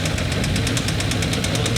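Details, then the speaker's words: RB20-swapped AU Falcon drift car on first start: sharp metallic knock about eight a second over rough idle; connecting rod knock. "what's that ticking I don't know it sounds like something not great"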